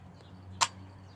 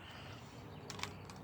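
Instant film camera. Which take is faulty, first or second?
second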